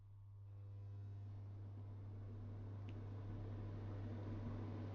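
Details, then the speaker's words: Elica SHY-BLK-90 angled glass black cooker hood, newly fitted in a new kitchen, fan running on low speed with the filter in: a low steady hum and drone under the even fan whoosh. Abnormal hum. "now it does have a bit of a hum uh a very large home"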